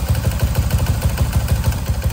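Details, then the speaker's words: Motorcycle with original 62 cylinder build idling with a sharp clack on every beat, about six per second, loud from the top end; suspected loose cam or rocker, still noisy after everything checked and rebuilt, cause unknown. "ở trong cái phần đầu thì có những cái tiếng kêu như vậy thì chắc là cam cò lỏng hay là gì đó thì mình tháo ra mình kiểm tra thôi."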